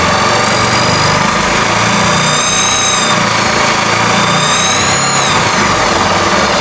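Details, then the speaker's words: Honda Cargo 150 motorcycle at idle: busy, rough idle with a dragging, scraping rasp like something rotating is rubbing; suspected oil pump drive gear scraping, clutch found poorly reassembled with nut on wrong side. "que no se pongan atención en el ruido que hace es un ruido como que está arrastrando algo que gira"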